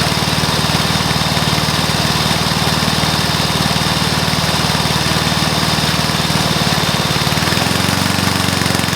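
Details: Probably early-1984 Briggs & Stratton mower engine, first start after new piston, rings and valves to cure oil consumption from loose rings and worn valves: even, regular firing at steady speed, slight tone change near end; normal running.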